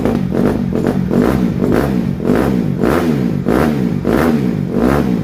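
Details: 2007 Honda CRF150R single-cylinder dirt bike after reassembly, choke off: revs blipped about twice a second, firing crisp and even with no miss or rattle; running properly, though the carburetor still needs fine tuning.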